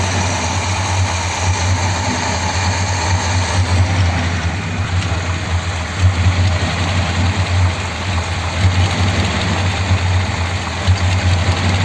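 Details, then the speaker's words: 1957 Ford Thunderbird V8 at idle after old modifications were reverted to original parts: a low, lumpy idle with an uneven pulse and periodic stumbles. It is misfiring, though still running and not pushing fuel out; the cause is unknown. "it's definitely misfiring isn't it but it's actually running and it's not brushing fuel out so I don't know why it's running"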